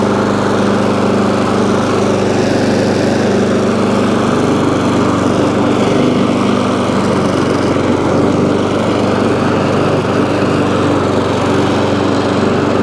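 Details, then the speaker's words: ATCO lawnmower, about 21-inch, Briggs & Stratton engine, after cleaning corroded HT lead: steady even buzz, no misses or surging; runs, though it stops when drive released and throttle jammed, drive cable suspected worn or rusty. "so so so it runs um however drive drive works but when you take the drive off it stops"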